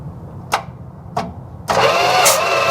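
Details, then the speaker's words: 1973 Dodge camper truck, sitting 25 years, thumb over spark plug holes while jump-cranking: two starter bumps then steady even crank with firm rhythmic chuff; normal, strong cranking compression. "I'm gonna just put my thumb over the holes and we'll jump it and crank it and see if we have any compression."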